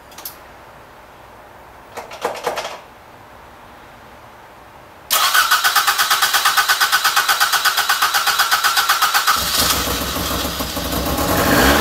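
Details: Toyota AE86 GTS, first start after installing cleaned, refurbished gas tank, new fuel pump and filter, started via battery charger in rain: quiet cranking, catches and settles into even idle, slight rise warming, tiny bit smoky; normal cold start.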